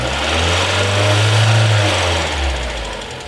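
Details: 1991 Mazda Miata with a stock engine apart from a pod filter, about 85,000 miles, timing belt not yet replaced. A light, rapid lifter tick sits over a low engine hum as revs rise slightly; cause unconfirmed.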